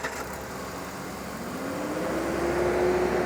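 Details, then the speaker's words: 2007 Ford Ranger that had sat about six months, started off a portable jump starter: a short crank with a rising note as it catches, then settles into a steady idle. Normal start. "So he's gonna go try to crank it."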